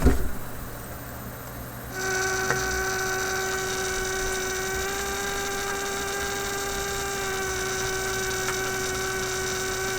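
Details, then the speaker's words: Steady low hum with a higher tone entering after two seconds, from a 1967 Heathkit Electronic Projects Kit AM transmitter circuit on a 6 V bench supply while adjusting transistor bias; owner suspects a noisy supply and considers a battery or big capacitor. "now my power supply may be very noisy it's pretty broad pretty broad okay so i'm gonna have to switch this to a battery supply or put a big capacitor in here"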